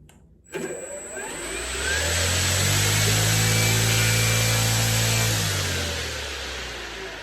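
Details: CY Models 100" Cessna Bird Dog RC plane with electric conversion, first motor run just after ESC calibration; the motor spins up smoothly to a steady even whine, holds speed, then eases down. The motor runs normally.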